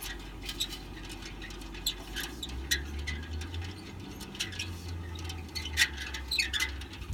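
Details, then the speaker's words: Roof turbine vent (whirlybird) spins with irregular high chirps and squeaks over a low rumble; worn bearings squeal, can keep people awake at night. "it squeaking away now during the night time that'll be squeaking away or making lots of noise and sweeping people awake"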